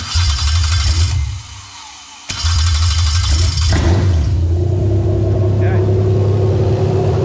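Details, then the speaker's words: 1JZ-GT engine on a JZ modular harness with ECUMaster Classic ECU, for an IS200 swap, started by applying 12 V to the black/yellow wire. It catches and settles into a smooth, even low idle with no misses or knocks: normal. "there you go here's idling nicely"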